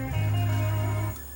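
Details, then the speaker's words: Pioneer PDM-703 six-disc cartridge CD changer playing a disc: loud squeal heard as a steady hum-like tone that drops away, the pickup tracking servo hunting; excessive tracking gain, corrected by tracking gain adjustment. "making quite a loud squealing sound it's gonna take the top off it and see whether we can see where that noise is coming from"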